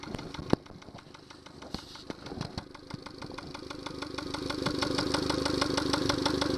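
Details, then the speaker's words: Yamaha 70 hp outboard at idle fed through a Honda fuel connector instead of the Yamaha one: light regular knocking tick about three times a second over the engine note; caused by the incorrect fuel connector. "Well, there's some knocking sound that you can hear."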